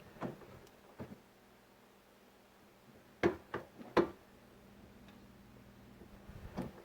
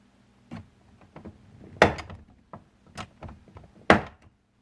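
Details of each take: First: 2001 Chevy Silverado driver's door after replacing the door check: door swings with a few crisp, firm clicks at each stop, no creak or pop, much quieter; nice solid detents, normal door check operation. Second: 2001 Chevy Silverado driver's door check, rubber boot missing, bouncing around as the door swings back and forth: irregular hollow clunks and thuds; worn, loose door check needing replacement.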